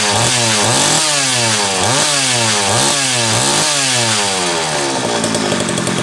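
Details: Homelite 330 chainsaw test run after intake boot replacement, the only fault found: quick repeated throttle blips, pitch snapping up and down about once a second, returns without stalling; normal running.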